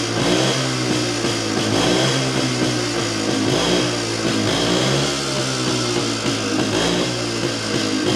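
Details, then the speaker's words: Jawa 250 type 353 two-stroke after the cylinder was refitted with a new base gasket: an even buzz rising and falling with throttle, and the earlier sharp chirp is gone. A slight bearing rustle remains although the bearings are new. Normal running. "Joo, nythän siitä ei tosissaan kuulunut sitä ääntä enää."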